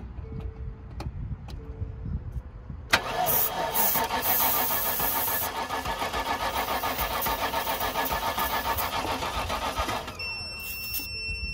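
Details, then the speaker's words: 1999 Land Rover Discovery II bought as a non-starter; after a battery fuse was pulled and starting fluid added, the starter cranks weakly at a sluggish, even chug for about seven seconds but the engine never catches: crank, no start. "crank it it's pretty weak crank all right ready"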